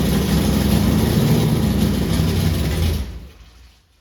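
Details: Forgotten 1964 Impala drag car, first run in decades after the points were cleaned and set at 0.016": a deep, lumpy V8 rumble for about three seconds that fades as it shuts off; the old big block fires and runs.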